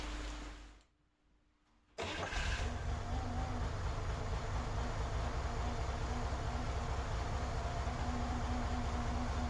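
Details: 1963 Corvair after fuel system update with a return line and return filter canister fitted: brief quiet, then the engine catches at once into a steady, even idle with no misses or knocks. Runs normally.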